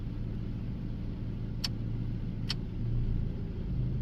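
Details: 2002 Dodge Neon with swapped throttle-body parts and 2002 automatic idle air control valve, warm, idling in park with AC on: quiet, steady low idle, even rumble, two light clicks, idle lifting slightly with AC load; healthy.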